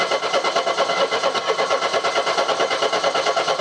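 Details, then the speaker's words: Mercedes W123 230E on warm restart after first run in about 16 years: starter spins the engine with a quick even chug, about eight beats per second, never fires; hot-restart no-start, cause unknown. "you were running brilliantly what's going on here this is weird"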